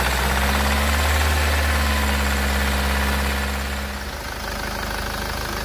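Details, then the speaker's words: Ssangyong Musso 2.0/2.2 four-cylinder diesel after bleeding a totally dry fuel system and reconnecting the IMV: steady even diesel clatter at idle, about four knocks a second, no stumble or hunting; running well. "so she's running mint now"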